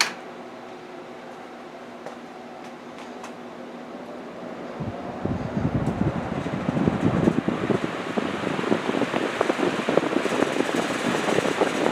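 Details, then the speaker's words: Restored old box fan on high speed in intake direction: quiet hum, then a strong, even rush of air with a steady motor drone and no ticks. A strong, healthy breeze; the back grille vibrates a little. "A nice strong breeze. It's great. That back grill vibrates a little bit."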